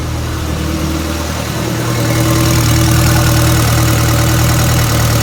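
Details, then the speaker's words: 1962 Land Rover Series 2A 109 station wagon, 2.25L diesel: steady clatter with an uneven, lumpy beat; smooth when cold but misses and runs roughly, jerking and bouncing, once warmed up; cause unknown. "as you seen in the video that the truck is not running right at all there's a there's a miss in there whenever it's cold it'll run pretty smooth as soon as it starts getting warmed up it starts really running like crap"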